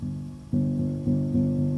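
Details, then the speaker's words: Grand piano muffler install: repeated notes ring cleanly after the muffler rail is slid back so the hammer no longer clicks against the back edge of the brass rail. "That clicking is gone."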